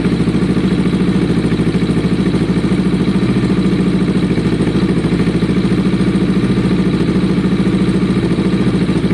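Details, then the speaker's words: Kawasaki ER6n parallel twin first start after sitting, new spark plugs, airbox removed, low battery, old fuel flushing through on idle: lumpy, popping, uneven exhaust beat around 200 per minute. Uneven exhaust note at idle, cause unconfirmed. "That's the sound. That exhaust sounds interesting."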